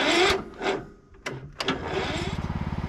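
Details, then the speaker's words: Cub Cadet riding mower cranked after sitting 5–6 days, choke on, a little throttle, battery at 13.03 V. Slow, labored starter chugs barely getting over compression. Owner suspects it needs a valve adjustment; starter and battery terminals also need cleaning. "Alright, well, I was having a heck of a time getting this thing started. I believe it's probably going to need a valve adjustment as well, because it was just really struggling to get over that compression stroke."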